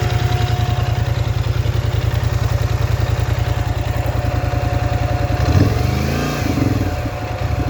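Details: Polaris Scrambler XP1000 S: uneven, clattery pulsing about 200 per minute, then a rev brings an odd irregular noise; unidentified abnormal engine noise, cause unclear.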